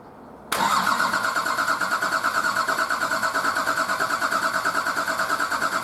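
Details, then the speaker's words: Nissan Patrol RD28 diesel, first start after injector and pump install, not run in over six months: cranked with all injectors cracked loose to bleed air from the lines, even cranking about three per second, uneven firing starting to catch. "i'm going to crank it a bit until i see fuel come out and then start tightening them all off and then loosening them cranking and tightening them up before i stop cranking just to stop air getting sucked back down into the"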